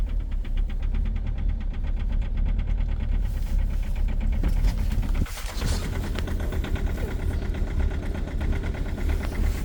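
Hard, rapid clatter riding over a rough cold idle, steady with the engine speed; heavy cold-start diesel knock.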